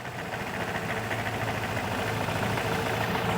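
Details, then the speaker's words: Vespa GT200 scooter, warmed up, Keihin carburetor being adjusted after cleaning: fast busy idle with quick steady beat that doesn't settle; idle speed set too high. "sometimes I have scooters coming in idling like that that's too"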